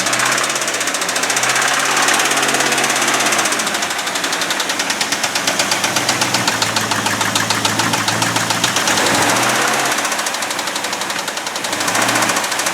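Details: Abandoned 1989 Ford F250 5.8L V8 started on a new battery after fuel injector wire repair, never revved, throttle thought faulty: a loud, steady knock about three times a second over a rough idle; a deep internal knock, cause not pinned down.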